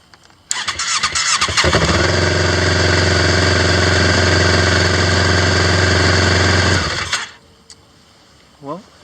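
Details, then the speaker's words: 2008 Yamaha Phazer GT after a battery replacement. It fires after about three cranks instead of the earlier 10–12 over about 5 seconds, then settles into a steady idle; a normal quick start. "that seemed to be starting a lot quicker that did before so I'm like it only turned over about three times where before it was it was turning over at least 10 10 to 12 times and close to about 5 seconds"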